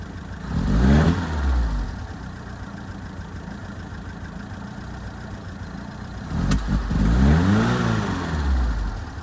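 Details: 1978 FIAT 124 Spider: uneven, lumpy idle stumbling between two sharp throttle blips, engine missing; rough idle, cause not yet found.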